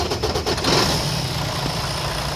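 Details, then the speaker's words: Detroit DD15 truck diesel that ran out of fuel and kept cutting off, restarting after repeated fuel-filter bleeding: catches and settles into a steady, even idle with no stumbling; normal restart with no major repairs. "I didn't need no major repairs or nothing she cranks right back on"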